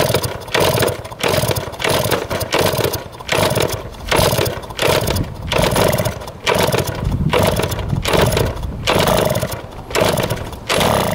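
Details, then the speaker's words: 1971 Yamaha JT1 mini enduro two-stroke, stored about 30 years, 133 psi compression, spark and fuel confirmed: fires in uneven surges about once a second, never settling to idle; exhaust clogged with mouse droppings and what looks like poison, causing hard starting and poor running. "that is nasty it was clogged the exhaust with a bunch of mouse turds our poison it looks like"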